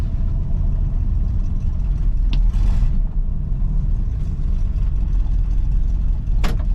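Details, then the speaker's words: 1966 Ford Mustang coupe, non-original 289 V8 (possibly 302), carbureted, C4 automatic: steady smooth low burble at idle, but idle speed sits too low and should be raised. "let's light a little low I would probably raised up the audio up on it a"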